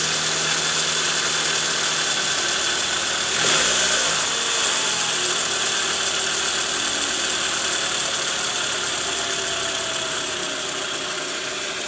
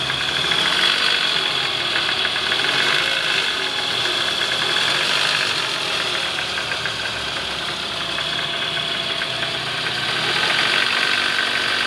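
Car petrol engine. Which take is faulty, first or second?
second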